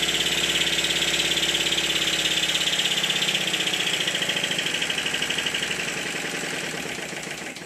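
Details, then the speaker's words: Stuart Triple model steam engine after adjusting the high-pressure cylinder eccentric sheaves, running in: even, regular chuffing about three and a half beats a second, gently slowing at the end, no knocking; running normally. "listen to it in the next clip no knocking by gripping the flywheel I can feel how much power the engine has"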